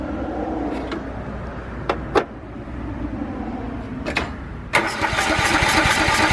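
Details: Riding lawnmower not run in years, carburettor cleaned, fresh gas, used battery charged overnight, first crank: several separate cranking tries, then a brief catch into a rough, busy run that won't keep going; fires briefly then stalls.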